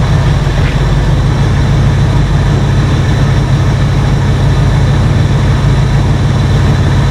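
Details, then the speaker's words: 1968 Ford F100 V8 with a new cheap carburetor whose intake gasket leaks badly: a loud, steady low rumble holding a fast idle well above normal warm idle, no dip or hunt; choke and first-step high idle suspected. "we'll fire it up and see if it runs any better but it's just idling way too high"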